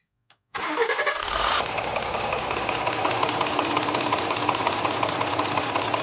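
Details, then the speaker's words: Ford F150 pickup 3.5T engine at idle with a fast, uneven ticking rattle that sounds like piston knock. It is a known fault: worn lock pins in the cam phaser sprockets (3 of 4 worn), letting camshaft and sprocket shift back and forth. "像这个响声，乍一听的话，以为又要加仓了，敲缸声，但实则呢是属于这款发动机的一个通病。根据我们的经验判断，像这种异响的声音，就是链轮里面的锁止销磨损过度导致的。"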